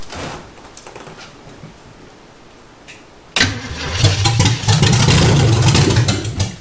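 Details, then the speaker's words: 1971 Chevy Nova four-door that sat about 30 years in a body shop junkyard, carb cleaner poured into the carburetor: steady cranking about three beats a second that never fires. No fuel is delivered, and the fuel pump is suspected and later replaced. "let's see if it'll crank up put a little carburetor cleaner into the carburetor maybe it'll draw some fuel to the fuel pump that way no fuel yet let me do it again"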